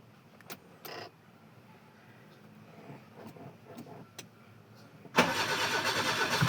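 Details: Car unused long in rainy weather, battery down to 4 volts, jump-started via parallel cables: near silence with faint clicks, then the engine catches after a struggle and holds a busy fast idle; low battery suspected, throttle dried of gas.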